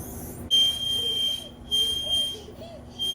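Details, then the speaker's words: Stackable Frigidaire or Kenmore dryer: a shrill, steady squeal pulsing about every second and a half as the drum turns, from a worn plastic rear drum bearing; fixed by replacing it. "the issue is you have a bad bearing."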